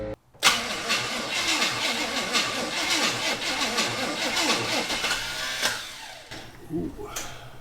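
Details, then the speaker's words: Abandoned 1974 Chevy Camaro, starter from the scrap pile hot-wired with jumper wire: harsh, uneven cranking clatter for several seconds before fading; starter suspected faulty, timing thought to be way off, fuel line disconnected. "maybe that's why that starter was sitting in the scrap pile"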